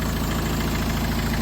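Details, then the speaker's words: Talbot Express van converted to a 2.0 HDI Peugeot DW10RHY diesel: smooth, even idle with a light audible fuel pump tick on top, considered typical of an HDI, much quieter than the original; normal idle. "It's a massive difference. But you can hear that fuel pump. Doesn't bother me. Just means I got an HDI."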